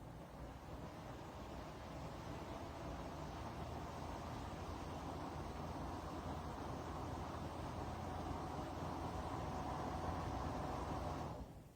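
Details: Dreo tower fan (Pro unit) running at level 9: steady airy fan rush with a faint whirring tone near 700 Hz on top; owner hears slight whirring/bearing noise, unsure if unit-specific.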